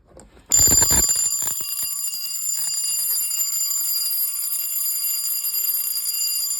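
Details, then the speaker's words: Alarm bell from a fire alarm collection, tested in sub-zero Michigan cold: a hard strike then a steady high ringing that runs on without the usual fall-off when it stops; sounds abnormal, cause unknown. "that was not really like it should it sounds weird sounds like when it stops wearing it doesn't make that fall that's how it should"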